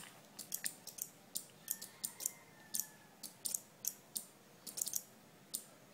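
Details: Two 12 V relays in a flip-flop circuit with 4700 µF capacitor alternately flashing green and red 10 mm LEDs: crisp sharp clicks a few times a second over a quiet room; relays switching back and forth normally.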